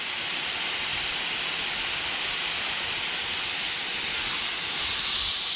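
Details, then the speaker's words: Mechanical fuel injection pump relief valve on T-bucket, pressure-tested with engine off: steady high-pitched hiss growing louder as valve bleeds off; relief valve opening at about 145 psi, set near 140. "Looks like it's set right now at about a 140. Starts to open up around 145."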